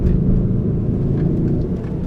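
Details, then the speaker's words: 2004 Honda Element on the road: deep steady droning hum under road rumble, louder when steering one way; noise traced to a front wheel, though no play found; wheel bearing suspected. "alright this 2004 2500 element when you on the road kind of like making honk noise I'm not sure my camera can catch it on Laos noise"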